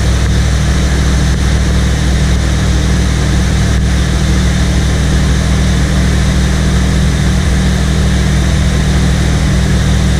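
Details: 1979 Corvette L82 V8, cold start in neutral after a couple of throttle pumps: loud, steady, fast cold idle with an even, deep exhaust rumble and no surging; high choke idle, then stalls, probably as the choke opens.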